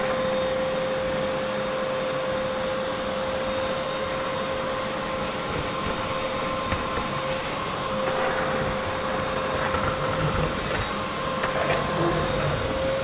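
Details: Shop vacuum running: loud steady whine with rushing airflow that never changes pitch or surges; owner says it sucks well but is noisy, motor running normally.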